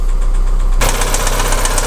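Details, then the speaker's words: Audi Q3 1.4 TFSI (CZDA), cold start, no fault codes: steady, rapid, loud knocking from low in the engine at idle, also burning oil; piston knock, engine going for overhaul. "вот так вот он тарахтит вот такие вот у нас собственно проблемы стук и масложор"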